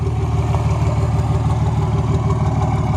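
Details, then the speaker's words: Cummins common-rail diesel truck after an injector rebuild, idling after being pulled over: a low, lumpy idle with one cylinder missing and a little smoke, though rail pressures look fine. The owner suspects the injector still has an internal fault. "so here I'll just pull over and we'll see what it looks like well I can hear it missing a little bit still"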